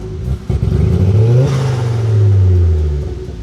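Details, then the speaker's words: Ford Focus ST-2 with 99,000 miles, engine light on and black smoke earlier: revs rise and hang with a rough, uneven, stuttering note instead of a clean climb; badly misfiring under throttle. "Yeah, there you go. Look. So, it's really badly misfiring."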